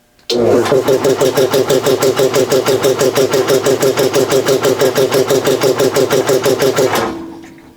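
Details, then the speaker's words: Home-built air compressor with about 200 microfarads of start capacitors (100 µF ordered), starting against roughly 91–92 psi tank pressure: slow heavy pump strokes about three a second, motor labouring. "this just barely starts with these three capacitors if it's under pressure it actually won't start i have to kick the pulley and then it goes just fine"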